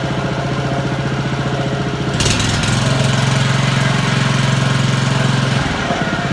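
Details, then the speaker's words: Honda lawn mower after cleaning dirt from the carburettor idle jet and float chamber, which had caused surging and cutting out at idle: steady even idle, then a clean rise in revs and back down without stumbling. "we've clean that little idle jet out and it's running like a dream it's this idling like it should revving nicely ready for the new season"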